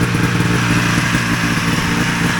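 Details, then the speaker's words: 1980 Ski-Doo Citation SS two-stroke twin after fixing points, coils and carbs for no spark: crisp, even buzz with both cylinders firing steadily, no misses; runs normally but still needs tuning. "Yeah, so that runs. Now a matter of getting it tuned up properly and everything like that, but that's quite satisfying."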